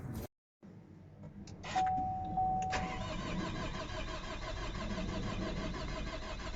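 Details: 2012 Chevy Cruze 2.0 diesel that won't start (later fixed): the starter spins the engine steadily for several seconds but it never fires. Crank, no start.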